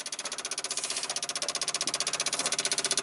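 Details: 1995 Dodge Ram 2500 V10, cold no-start: relays refitted, ASD and fuel pump relays chatter with rapid even metallic clicking about four per second, engine off; PCM 8V reference wire not clean.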